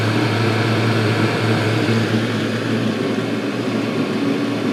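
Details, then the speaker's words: Chinese diesel air and water heater running with glow plug off. Steady even low hum with a smooth background whir, no knocks or surges; normal running. "Okay, now it's up and running."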